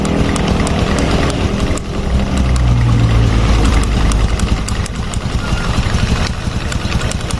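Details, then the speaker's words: Fuel-injected Honda Revo Fit motorcycle at idle: sharp light tok tick three or four per second from right-side clutch area while primary and secondary gears are still; mechanic reasons centrifugal clutch shoes at fault; knock at idle. "primer sekunder ini diam tapi suaranya ada tuk koclek koclek koclek nah ini berarti masalahnya ada di bagian kampas ganda ya secara logika gitu"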